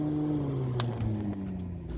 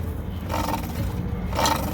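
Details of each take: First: Restaurant kitchen hood upblast rooftop exhaust fan with brand-new replacement motor, first power-up: steady low hum at one even pitch, no squeal or chirp; fan motor running smoothly. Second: Rooftop kitchen hood exhaust fan with belt-drive motor: low rough roar with recurring squealing bursts, motor judged bad and replaced.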